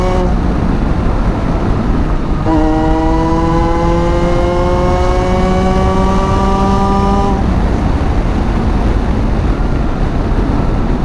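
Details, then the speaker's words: Salvage Ariel Atom that isn't running quite right, running about 15 psi boost (3 psi over stock). Engine note climbs smoothly for about five seconds while accelerating to the speed limit, then eases off. A clean pull with no misses; feels good. "That's about what it felt like. So it's feeling pretty good."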